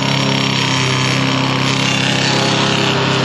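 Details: 2021 Can-Am Commander Max four-seater, Super ATV skid plate: steady high-revving drone with a fast loose rattle about four a second; worn driveline carrier bearing. Sancraft carrier helps but does not fully remove the rattle.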